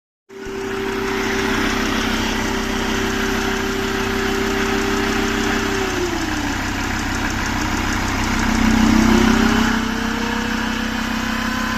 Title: MERCEDES-BENZ E CLASS ENGINE OM647 270CDI NO HARD START NO SMOKE BUT TURBOCHARGER NOISE PROBLEM